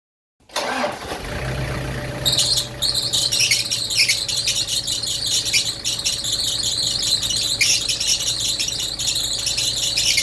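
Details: Toyota Prado idling with the air conditioning on: a shrill, chattering squeal rides over the low engine idle, an AC squealing noise.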